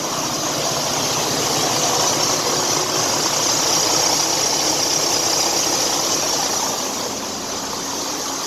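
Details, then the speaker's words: Freightliner Cascadia DD-series diesel idling: harsh, hissy belt chatter with a high squeal on top. A failing belt tensioner is pulling the belt to one side, so the tensioner needs replacement. "So for all of you that wonder how the belt sounds when it's going bad, this is how it sounds. The tensioner is actually pulling the belt to one side, to this side, and that's when the belt is going bad."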